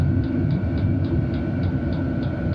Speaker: okay so I can hear sounds like the fuel pump is going quicker we turn it